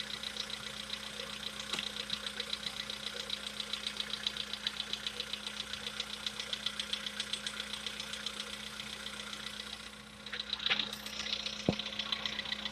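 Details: VW Polo Sedan with CFNA engine at idle, before decarbonizing treatment: steady light tapping, roughly 150 a minute, over the engine hum; a knock from inside the engine.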